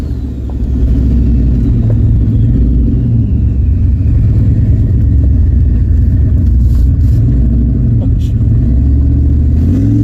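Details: GT45 turbo Mustang during tune tweaking: a loud deep engine held at the top, the note chopping into an even rapid stutter as it hits the hard-cut rev limiter.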